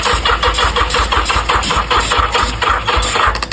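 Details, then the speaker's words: 1985 Yamaha XJ700 motorcycle during rebuild, using starting fluid; sluggish, uneven starter grind about four labored turns a second, fading without catching: slow cranking from dead battery. "Battery's dead."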